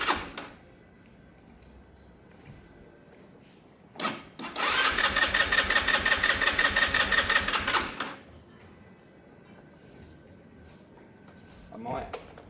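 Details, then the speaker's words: Sinnis Harrier motorcycle, low battery boosted with booster pack, cranking to draw fuel into carb: quiet gaps, then fast even cranking chatter that catches briefly and dies; false start, not running. "We're going to get a bit of a false start up on this one. It's still going to seem like it doesn't start well, but at the moment we're really just sucking fuel through into the carb."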